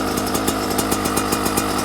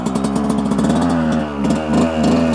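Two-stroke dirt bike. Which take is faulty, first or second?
first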